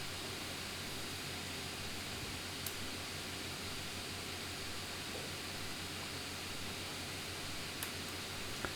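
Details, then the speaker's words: Constant airy fan rush with a thin steady whine on a Lenovo C940 laptop while gaming, CPU package around 90-100 °C, averaging 98 °C; fan running flat out under heavy load. "And I'll be quiet for the remainder of this for a moment now that I've muted it, and you can hear the whine and the fan noise."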